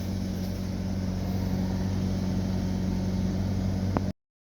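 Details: Ford Escape 2.3L that was hard-starting and stalling while driving, as if starved of fuel, just after fuel pump replacement. Steady, even low idle with no misses, stumbles or knocks for four seconds before shutoff. Normal idle.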